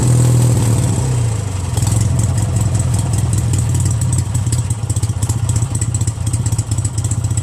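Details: Craftsman DYT4000 tractor, 14hp Briggs opposed twin repower, idling with electric PTO spinning free after deck belt removed: smooth steady beat, light clatter, no grinding or squeal; engine and clutch fine, tight belts suspected as the PTO problem.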